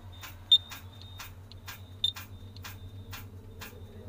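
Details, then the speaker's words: Tata Signa BS-4 truck, key switched on, won't start: steady ticking about twice a second with odd high beeps but no cranking, just clicking; cause unconfirmed, a second battery is fitted next. "Cut आवाज आ रही है।"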